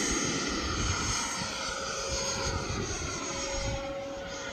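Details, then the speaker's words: E-flite F-16 RC jet converted from an 80mm to a 90mm ducted fan, which runs at lower RPM than the 80mm: steady even roar with a clean mid-pitched tone at part throttle during takeoff; healthy running. "It doesn't sound right because the RPM's less than the 80, but performance wise I think it is actually a little faster, a little more vertical."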